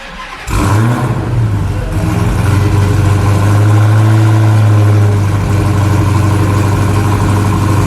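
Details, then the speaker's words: Upgraded engine after spark plugs checked clean, idler pulley replaced and dry air filter fitted: fires up and settles into a deep, steady, even idle with no ticks, misses or squeals; running clean. "God, it runs so clean and nice."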